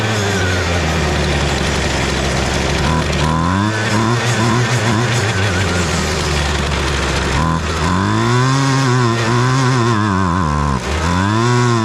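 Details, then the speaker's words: Husqvarna 128DJX two-stroke string trimmer: revs surge and sag, bogging down when throttled instead of holding speed; carburetor problem, diaphragms or carburetor replacement suggested. "Okay, so the carburetor does have a problem, which is why we did this test. The reason it has a problem is because when you throttle it up, it is bogging down."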